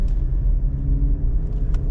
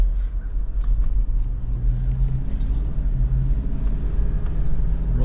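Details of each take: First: 2014 GMC Terrain driving about 40 mph: low steady rumbling growl under road noise from a bad wheel bearing, worse when turning loads one side and when slowing down. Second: 2014 GMC Terrain on a test drive after wheel bearing replacement: steady low road rumble with no growl or hum rising with speed; wheel bearing runs quiet.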